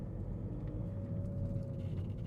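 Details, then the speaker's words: VW Vento engine bay: faint thin whistle rising then fading as revs drop off throttle after acceleration, from a failed idler belt tensioner pulley; owner notes engine mounts or idler belt were also suspects, not the engine itself. "So ఇది పుల్లి పోవడం వల్ల ఇలా noise వస్తుంది"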